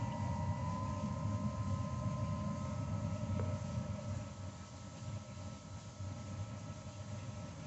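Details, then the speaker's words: Suburban IW60 tankless water heater after setting the dip switch to 130°F: even low roar with steady fan hum, no pops or flutter as it lights; normal burner start-up. "what it sounds like in good working order"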